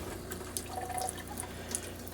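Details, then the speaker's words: Coachman Chaparral Lite 269BHS RV being winterized with antifreeze via pump, kitchen sink hot side: water spits and gurgles in uneven bursts running clear before pink, air trapped in the line. "Starts out clear water. You can hear we've got some air in the line"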